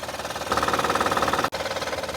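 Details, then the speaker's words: Honda Pilot petrol engine running with a fast, even knock, about a dozen beats a second. The hydraulic timing belt tensioner loses pressure and causes it, not internal engine damage; fix is a new timing belt kit with tensioners. "El problema que es que ese tensor hidráulico pierde presión y eso es lo que ocasiona que tu vehículo cause este ruido que tú piensas que tu motor internamente se dañó, pero el causante de eso ha sido tu bell tensioner."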